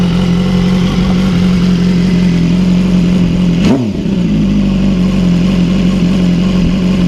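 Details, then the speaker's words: BMW S1000R (2014–16) fitted with 2015–16 S1000RR exhaust headers with smaller catalytic converters, first start after install, outdoors; deep, steady loud idle with one quick rev blip rising and falling cleanly. Loud but healthy exhaust note. "the bike is now pretty loud it's not obnoxiously loud but it's loud so let's see if we can start her up"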